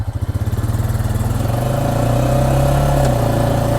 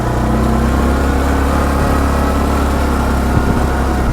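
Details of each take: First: ATV (the Honda, in a comparison with a 2024 Massimo MSA 550) pulsing slowly, about four beats a second, then revving with a knock or clunk from the transmission on acceleration, felt as a small jerk. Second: Massimo MSA 550 ATV in High range, accelerating: deep, steady engine drone pulling up evenly with no clicks or shift clunks; belt drive smooth, no gear-change knock felt.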